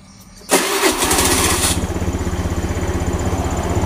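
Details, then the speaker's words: Honda Beat FI scooter that sputtered and died on throttle, after fuel pump check showing normal 40 PSI: engine catches on first crank and settles into a steady, even idle of about three beats a second; normal start and idle. "so that it runs normally, friends. Let's try the gas and it will start straight away."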